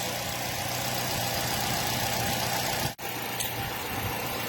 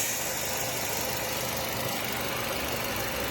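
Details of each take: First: Nissan Y12 with misfire persisting after new genuine spark plugs: petrol engine idles with an uneven, stumbling beat, one cylinder misfiring because its ignition coil gets no signal; wiggling the harness suggested a wiring short. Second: Nissan Y12 petrol engine idling with a steady, even hum, no misfire, after new spark plugs and repairing the coil wiring (confirmed on scope); normal idle.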